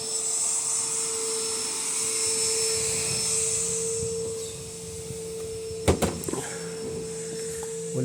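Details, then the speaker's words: Electrolux LTC10 washing machine in spin, very loud inside an apartment; steady loud hum with high whine then a few knocks from the mechanism (transmission). Cause unconfirmed; possibly a loose part or bearing turning in the base. "isso aqui dentro do apartamento faz um barulho danado"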